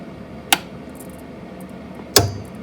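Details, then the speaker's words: Hyper Juggler pachislo slot machine at power-up: two sharp, crisp clicks over a faint low hum, the coin mechanism engaging normally. "That click is a good sign. That tells you that your coin mechanism is engaging, so let's listen to that again."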